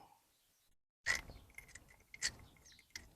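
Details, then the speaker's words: 1971 Rover P6 2000TC SU carburettor: sharp single clicks as each damper piston drops and hits bottom; probably short on damper oil. "dampers in the Pistons now so satisfying noise don't you hear that"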